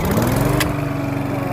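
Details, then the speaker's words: Briggs and Stratton 7.25 gas engine on a self-propelled walk-behind mower. It previously would not start and backfired; fuel replaced with fresh gas. Now fires on the first pull and settles into a steady, even single-cylinder beat with no misses; normal idle. "listen to that there it a nice is mower"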